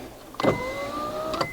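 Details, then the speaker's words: Honda Odyssey power windows after replacing the faulty master switch: a clean motor whine of about a second with slightly rising pitch and crisp start and stop. The windows now work normally. "okay driver side works so now let's try passenger side there we go now I hope you can hear the window go up and down it's fixed we're good to go"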